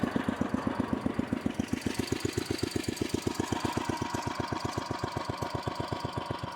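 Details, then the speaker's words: 1968 Sears Suburban 12 yard tractor with a 16 hp snowblower engine, creeping in first low under light load: slow, even chuffing about four beats a second with no misses or knocks; engine at its set lowest idle, running smoothly. "yeah as you can see I really do have it set to idle low though I think it goes even lower not as low as I got it set to go but that's it"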